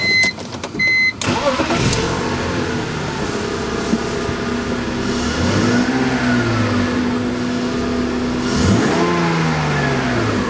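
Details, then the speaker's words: 2000 BMW 323i started briefly with accessory belts removed to isolate a screaming noise: after a dash chime it cranks and settles into a steady idle with no squeal; the idler pulley proved seized and so stiff it could not be turned by hand. "Alright, so I don't hear any more noise. So let's go ahead and pop this idler pulley off."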